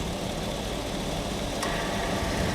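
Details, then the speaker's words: Chevy Vortec V8 truck (1999-2007 Silverado) at idle, A/C pressure switch jumped: faint click as compressor clutch engages, then slight whir of compressor spinning normally; system has correct R134a charge. Normal A/C compressor operation. "Yep. You can hear that compressor spinning. Compressor spinning down in there."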